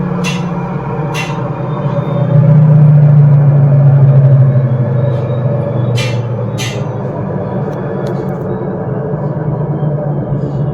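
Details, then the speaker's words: Maruti Suzuki Wagon R (new model) while driving: a low, steady droning hum under road noise from a worn front wheel bearing. "Front wheel bearing नॉज है friends"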